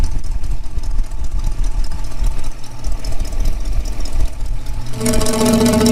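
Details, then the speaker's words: 1965 Mustang with a refreshed 289 V8 and AOD conversion. The leak developed after a Hurst crossmember install and was heard via a listening tube on the exhaust manifold. Lumpy idle with a sharp puffing tick on each firing pulse; the manifold joint/donut is suspected loose, to be tightened. "yeah i think that's i think that's the case i think the uh the donut or whatever's in there has been worked loose or maybe i can get in there and tighten it"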